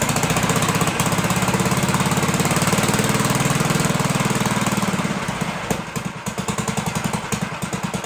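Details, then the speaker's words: 1958 Gravely Model L single-cylinder, revived after sitting a year or more, throttle reconnected, holed muffler: even rapid thumping at steady pace, easing slightly at end; runs smoothly, kill switch faulty. "Clean that kill switch up. So yeah, there you have it. Runs pretty good, right?"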